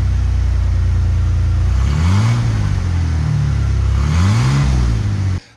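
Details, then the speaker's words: 2017 Ford F150 5.0 V8 with the heavy exhaust and muffler removed, old catalytic converters still fitted: a deep, loud idle rumble swelling into a booming roar on two throttle blips, much louder than with the muffler. "turns out I was wrong that actually makes a huge difference"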